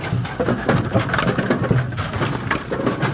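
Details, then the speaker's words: Brunswick GSX pinsetter after a urethane belt weld repair: busy uneven mechanical clatter and hum, no knocking, slipping or squealing; repaired belt drive running fine, normal. "Um, loud noise warning. I don't know. They're GS machines. They shouldn't be that loud. Right. So, that is our repair belt. Good."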